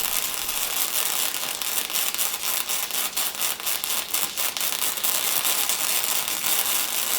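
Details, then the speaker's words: First-attempt MIG welding: the frying-bacon sound fluctuates with irregular sputtering pops instead of an even sizzle; the welder suspects the tip was held too far from the material. "and on this world you can kind of hear some of the fluctuation in the frying bacon sound where it kind of has some variation in it I think I was getting my tip too far away from my material so I need to concentrate on that a little bit better"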